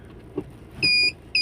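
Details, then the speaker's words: Maruti Swift Dzire diesel, about 105,418 km, after gear-wire bush replacement for a gear-not-engaging fault: clean, evenly spaced quarter-second high-pitched beeps on selecting reverse, car stopped; the reverse warning works normally. "देखो, मैंने गाड़ी रोक दी है। Reverse sound भी शानदार है। पूरी तरह से सही।"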